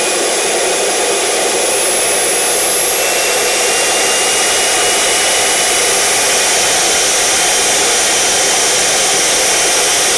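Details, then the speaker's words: CARF Rebel Hot RC jet's newly installed turbine on test run, throttle slowly increased toward max after idle stabilized. A smooth steady roar with a high whine climbs evenly, with no surging or rattles. Normal turbine run-up. "okay no problems running it got rid of all the air bubes no issues at all so just going to let the idle stabilize"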